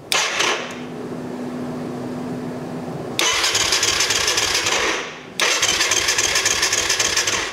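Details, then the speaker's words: Kawasaki KFX 450 quad with KXF engine: two long cranking bursts, never catches, no fuel pump hum; pump gets no power, crank no start. "E mais tu vois, j'entends pas la pompe. OK, là il devrait Tu vois, il devrait On entend rien."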